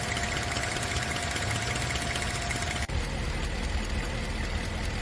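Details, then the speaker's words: 2011 Tahoe at idle, brought in for a ticking noise: steady idle with fast, light ticking, a couple of ticks a second, puffing over the engine; exhaust manifold bolt intact, all the noise came from loose spark plugs. "Ce Tahoe 2011 est venu pour un bruit de cliquetis au ralenti. Bien qu'il ne manquait pas le boulon habituel sur le collecteur d'échappement, tout le bruit provenait des bougies desserrées."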